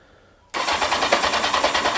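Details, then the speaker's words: Kawasaki Z750 starter motor just rebuilt after years of squealing and crunching, brushes refitted; starter grabs and spins the engine briskly with even compression pulses about five a second, cranking properly. "Spins beautifully."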